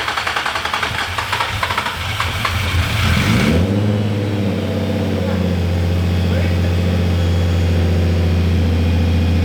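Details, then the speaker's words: Nissan 350Z (VQ35DE) first startup after a turbo install: about 3.5 seconds of cranking, then it catches cleanly into a smooth, even, surprisingly quiet idle, quieter than before so the engine itself is now audible; sounds healthy. "my god how quiet it is! I have a turbo beast! You can now even hear the engine, you didn't use to."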